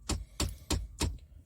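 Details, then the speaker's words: Pickup truck cab, no engine noise: four crisp, evenly spaced clicks about three per second from behind the dash; owner suspects a blend door actuator, unconfirmed. "hopefully I can make this video without my truck making the click noise I made in my previous video but uh yeah right yep that noise right there that's what I was just talking"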